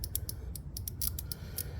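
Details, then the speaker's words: 2001 Suzuki TL1000R fuel injector, removed and bench-tested by tapping 12 volts on and off rather than holding it on: crisp ticks, roughly four a second. It is opening electrically and working. "You can hear the click, you could feel the click, and then you know it's electronically working."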